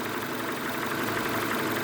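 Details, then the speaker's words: Renault Megane 2 fully warmed to operating temperature at idle: dry dull knocks from low in the block, top end quiet; piston slap, appearing only once warm. "ну есть вот сейчас слышно переступ такое [ __ ] суховатые такие удары это короче перекладка именно поршневой а"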